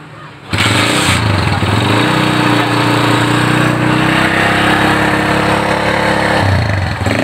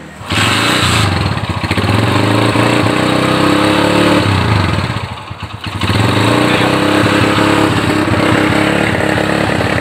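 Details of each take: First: Honda GL Neotech motorcycle, which ran but stumbled when throttle was raised, with black spark plugs and high fuel use: after repair, the engine holds a steady, even high rev for several seconds without misses or popping, then drops back cleanly; runs healthy. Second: Honda GL Neotech motorcycle that runs but stutters when throttled, with high fuel use and a black plug. It revs unevenly and nearly dies midway, a stuttering misfire under throttle. A new plug didn't fix it; cause unconfirmed.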